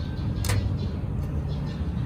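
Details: 2003 Peugeot 206 with weak A/C: with the magnetic clutch wired directly to the battery, a sharp single click over steady idle shows the compressor clutch engages normally; refrigerant level is OK, and BSI electronics are suspected.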